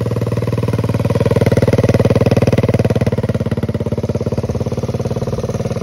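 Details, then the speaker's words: 1969 Honda Z50 (Z50A) single-cylinder, first start after about 20 years in a barn, after tune-up, new fuel lines and filter, choke on, started in two kicks; oil dirty and low: even, steady putter at idle, no knocks or misses; normal idle. "Okay, this is awesome. This thing runs super good, it seems like."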